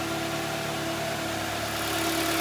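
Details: Mitsubishi Lancer X 1.6 (4A91/4A92), CVT, front-wheel drive, 211,000 km, after repair with new pistons and clutch, warming to operating temperature, heard from outside: smooth, even idle with a steady hum and no knocking; normal idle.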